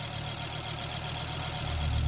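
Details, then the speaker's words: 1989 Audi 200 revived after long storage, gas tank rusty: steady even idle with faint thin high chirp over it, a belt not happy; engine itself sounds good, good oil pressure. "Something's not Some belt isn't happy. Motor good though."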